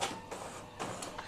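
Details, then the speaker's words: Epson L15160 inkjet printer printing after timing belt replacement: soft, even carriage passes with light whirs and clicks about every half second; still fairly quiet, with a slight worn sound, but judged normal and safe. "memang ada halamannya kosong suaranya Masih normal enggak terlalu berisik Walaupun ada terdengar suara yang aus cuma masih aman"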